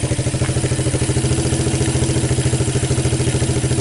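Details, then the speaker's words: 1985 Suzuki Quadrunner LT230E with a new Keihin PZ27 clone carburetor replacing the seized Mikuni: an even, steady single-cylinder thump about three and a half beats a second with no misses or hunting; a clean, healthy idle that holds gas. "yeah it sounds good you can hold the gas what's better than that right"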